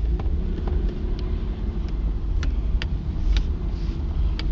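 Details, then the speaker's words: Lexus SC300 driving after lower control arm replacement and alignment: sharp, irregular pops about every half second. The owner suspects upper strut mounts or blown struts, unconfirmed. "it's making this really weird popping sound um my thought is maybe upper strut mounts maybe the struts are blown I'm not sure"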